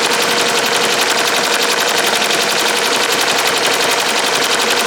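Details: Ricoma MT-1501 embroidery machine fast-forward trace run, catching up to the last stop point (the K) without dropping the needle. Fast, even mechanical chatter, about three clicks a second, under a steady high whir; running normally.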